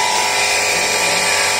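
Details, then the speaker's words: CRI Virat series 1.5HP centrifugal pump, 2x2 inch pipe: loud, steady rough whir with high hiss and faint whine while running; the rear motor bearing is worn and fully damaged and is to be replaced. "तो इसके bearing ख़राब है, तो हम इसके खोल के इसके बैरिंग चेंज करेंगे।"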